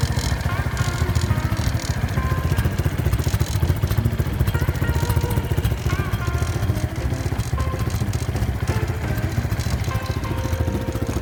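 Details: Honda Wave 125 S motorcycle with many loose parts, starting by kick start only. A small single idles at a steady beat with a loose, tinny clatter over it, from the muffler, which isn't properly bracketed, rattling.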